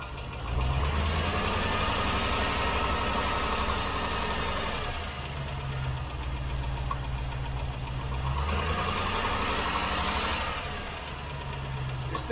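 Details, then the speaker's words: Rover V8 with new camshaft and new hydraulic tappets, after half a mile from cold: one light steady tapping about four per second over the idle, rising in frequency with revs; hydraulic tappet tick (exhaust manifold leak also to be ruled out). "you can hear just one tapping it's around here somewhere just one tap it has gone and as you've read the noise increases in frequency"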